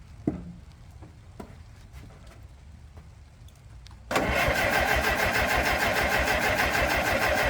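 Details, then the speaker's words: Late-1950s Minneapolis Moline 445 tractor with a rebuilt Marvel Schebler TSX-633 carburetor, strong spark and compression that sounds good: quiet ticking, then it catches on ether and runs fairly evenly; fuelling issue suspected. "guess the next question is well doesn't matter I'm spraying it with ether well we know it'll at least run"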